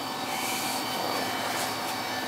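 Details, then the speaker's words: Carlin EZ1 oil burner: steady, even flame roar with no pulsing, surging or rumble. It runs better, no longer hesitating or sputtering; a full service is still pending. "definitely running better"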